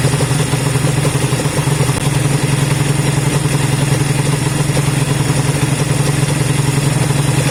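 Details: Honda CB200 twin idling after first start in many months of storage: steady fairly even idle with light mechanical clatter; running normally.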